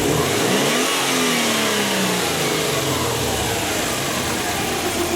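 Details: Subaru engine with P0171 lean code and hesitation on acceleration, snap throttle from idle: revs climb briefly then fall back sluggishly; no initial spike on MAF signal, dirty hot-wire mass airflow sensor, fixed by cleaning.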